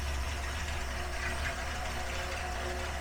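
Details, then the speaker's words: 1973 Dodge 318 V8 on an engine stand, cold, fresh oil and filter, about 40 psi oil pressure: deep, steady rumble with even beat, no taps, misses or rattles; smooth, healthy idle. "it's fun to watch an engine run without being in the car does sound good at idle doesn't it"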